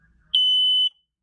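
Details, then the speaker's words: Smoke alarm, narrow base, test button: a single loud, piercing high-pitched beep of about half a second, then silence; sounder working. "Anda is a typical rapid pulsing that any older any early 80s uh first you know brks first alerts and family guards"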